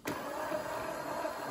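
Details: FXB Fish 16-inch 24 V electric bike after repair for slow take-off, chain tightened: a quiet, smooth whir that picks up instantly in both low and high mode, with no grinding, clicking or hesitation.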